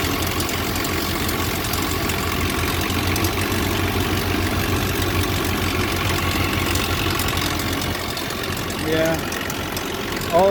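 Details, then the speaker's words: Nissan pickup with a blown head gasket, cold start after heavy snow: steady idle with a light, fast metallic chatter over the engine note, a timing chain rattle that began when the head gasket blew; engine initially ran on two cylinders. "started making noise at the same time as the head gasket blown so [Music] it's a nice sound isn't it"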